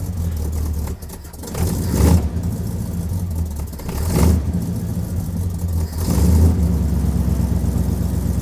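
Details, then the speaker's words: 1967 Buick LeSabre carbureted engine, warm with no choke, before carburetor rebuild: idle sags and surges every couple of seconds with an uneven, lumpy beat, barely running; rough idle blamed on a couple of factors, timing among them. "so the car wasn't running well and in fact it was barely idle. And that was due to a couple factors."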